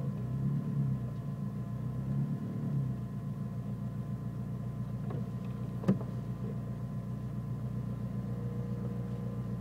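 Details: Nissan Micra turbo: low engine idle with an uneven, lumpy beat and slight wavering, no sharp knocks, sometimes cutting out when braking; rough idle, cause not confirmed.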